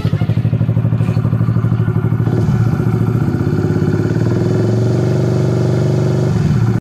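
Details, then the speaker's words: Honda RS150/Sonic150 single-cylinder idling evenly and steadily with no misfire, after the new original Honda Thailand regulator/rectifier was fitted following a smoking shorted negative terminal, a blown fuse and a dead panel; charging reads about 14 V, now running fine. "E ayan na umaandar na siya okay na yung rs"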